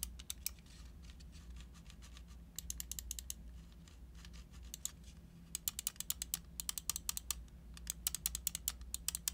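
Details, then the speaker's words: Pulsar Xlite V2 and Xlite V2 mini wireless gaming mouse, main buttons using Kailh switches, sound test: quick, crisp, clean clicks in short bursts with no rattle; normal button clicks. "Now, the buttons on these mice are also very nice, very crispy. They're using Kales up here."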